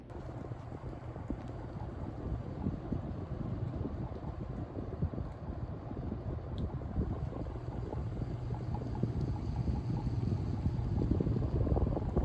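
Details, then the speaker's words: 1987 View Fan Spinner V36R 36-inch ceiling fan on high speed; it is slow to spin up and has a slight wobble. Steady low hum under a soft rushing airflow, no ticking or scraping. Otherwise decently quiet. "Aside from the hum, it's actually decently quiet. It's only got a slight wobble, but nothing severe."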